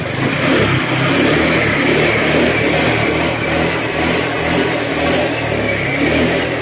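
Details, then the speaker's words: Honda Click scooter after repairing mixed oil and coolant and refilling with new oil: engine pulls up and settles smoothly with an even exhaust note, noise gone; slight valve tick from clearance; normal running. "Okay, yan mga sir, maandar na oh. Wala na yung maingay."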